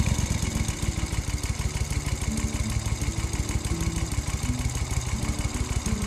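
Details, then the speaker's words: 1972 Moto Guzzi Eldorado back together after a clutch burnt out in stop-go traffic, started before a 200-mile ride. Even, loping V-twin idle with steady firing pulses, no knocks or rattles; starts and sounds good. Normal idle. "Oh, doesn't that sound good? I just love the way this thing starts."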